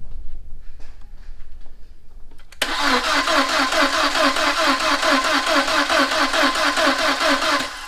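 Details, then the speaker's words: 2000 VW Passat 1.8L turbo, first start after head and timing belt replacement, with the mass airflow sensor just plugged in. Steady cranking about two beats a second with compression, but it never catches; timing is possibly 180° out, unconfirmed. "nope that don't seem to be it freaking volkswagens that could be not starting because the hood's up for pete's sake who knows"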